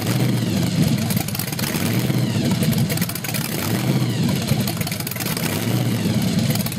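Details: Small-block Chevy 383 stroker, Weiand 6-71 blower at 8% underdrive, twin Carter AFB 500 CFM carbs, 8:1 compression, on run stand at first startup; deep V8 surging and stumbling on rev, suspected lean, timing correct, new jets coming.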